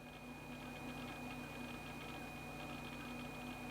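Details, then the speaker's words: Laptop just powered on after the chime: faint steady high whine over a low hum as the hard drive spins normally, though no screen display yet. "I can still hear a hard drive spinning"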